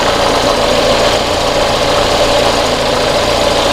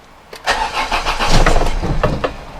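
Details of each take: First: Volvo 480 project car idling after CEM replacement: steady even idle with smooth hum, no belt flap, but a slight exhaust leak audible from a joint repair that hasn't held. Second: Volvo 480 after CEM replacement and fuel filter pipe repair, fuel pump audible: starter churns about two seconds with feeble firing and never catches, fuel starvation while fuel works through.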